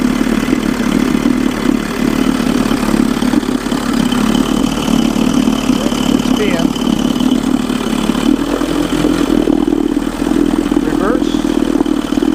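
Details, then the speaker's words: Mercury 110 9.8hp outboard, test run in barrel, in neutral, idle mixture screw cleaned and set about a turn and a half out after running rough at two turns: steady, even low drone, smooth healthy idle, slightly slow for fishing. "actually runs pretty good idles good good idle a little bit small slower for fishing"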